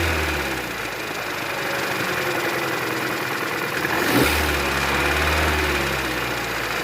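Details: 2014 Chevrolet Cruze 1.8 Ecotec making heavy engine noise: deep, heavy knock about three to four times a second through the idle, a worn crankshaft bearing; heavy sludge found in the oil pan.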